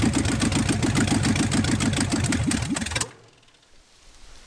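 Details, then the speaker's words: 1969 Dodge Charger V8, abandoned and crushed by a tree, previously revived: starter spins it at an even chug, about three and a half beats a second, never catching; fuel line was not hooked up. "didn't hook the fuel my bad"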